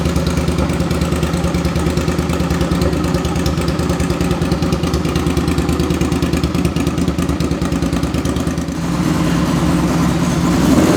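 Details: 2005 Suzuki V-Strom 650 after an engine swap for rod knock, with a very low-mileage replacement engine, running with the muffler off: loud, even open-pipe V-twin thump with a slight rise near the end, no knocks or misses; normal running.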